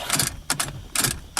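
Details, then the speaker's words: Car ignition lock: sharp metallic clicks in paired bursts as the key is worked, from broken parts rattling in the smashed lock; the key barely releases, and the lock plate is likely busted, unconfirmed. "there now it won't roll forward or back without the key in it you can't trick it but like i said you can hear the lock in there somebody smashed it"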